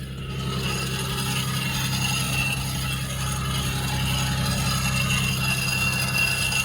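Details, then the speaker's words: Nissan 300ZX Z32 on a jack at idle. Rough metallic rattle and grinding chatter, steady over time, "like a train grinding to a stop"; caused by a seized, chewed-up idler pulley that is being replaced. "Oh, it sounds like a It sounds like a train grinding to a stop."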